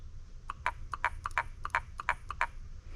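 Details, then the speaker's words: Windsor Chariot iScrub 20X scrubber not releasing water, water solenoid valve bench-tested on 36 V from the series batteries: crisp mechanical clicks as the plunger snaps up each time power is applied; solenoid working normally. "And what you're going to do is you're going to connect the red, obviously on positive, and you'll be able to hear this plunger come up if it"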